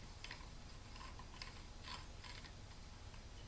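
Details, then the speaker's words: 40-year-old motorcycle clutch basket, friction disc moved by hand: irregular sharp clicks, about seven in under four seconds, as the plate catches in notches worn into the basket fingers, hindering plate separation; clutch basket notching. "And that's that friction disc, you know, going up and down and into those little notches."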